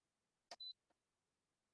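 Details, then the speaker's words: Instant Pot Duo 8-quart 12-in-1, bottom-left button pressed to start sauté: a click, then a single short high-pitched beep confirming it is powered on and starting to heat; normal. "So the Instant Pot is very audible in the sense that it makes a high-pitched sound, and most people can hear."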